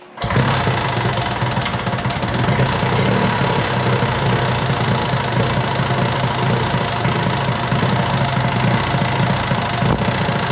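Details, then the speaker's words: 1971 Arctic Cat fan-cooled two-stroke drag sled: loud busy clatter right after startup with irregular clunks; source unknown, owner suspects the cooling fan. "it's got a pretty noisy uh it's like a clunking sound I'm sure you can hear it I don't know what that is we're going to have to try to figure that out"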